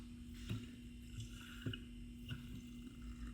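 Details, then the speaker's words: Shock absorber removed from passenger side, rod worked by hand: faint squishing slosh with soft irregular clunks, fluid and air bubbles moving freely inside, rod drops under own weight with easy spots; failed shock absorber. "and I can hear fluid actually moving inside. That's all wrong."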